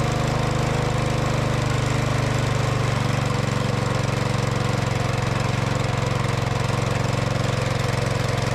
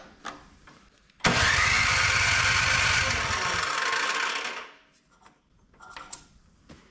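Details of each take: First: Older Craftsman MTD snow blower found with broken pull cord and no oil, after straightening the needle: small single-cylinder buzzes at steady, even speed with no stumbling or surging; runs healthy now. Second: Older Craftsman MTD-built snow blower left at the curb with broken pull cord and no oil; about three seconds of rapid pull-start cranking with no firing, then silence; fuel smell, good spark and plug.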